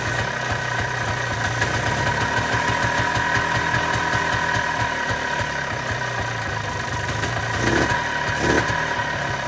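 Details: 1995 Polaris Trail Boss 250 two-stroke, previously crank no start with bad backfires, running after a new spark plug and choke: quick, fairly steady popping beat with no backfires, idling as it should.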